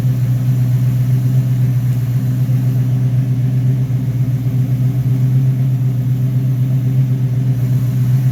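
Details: Rebuilt Rochester Quadrajet 7029202 from a 1969 Corvette (ethanol-damaged fuel bowl cleaned up), first start after rebuild: V8 settles into a steady, even lope with a couple of crisp throttle blips returning cleanly; normal idle.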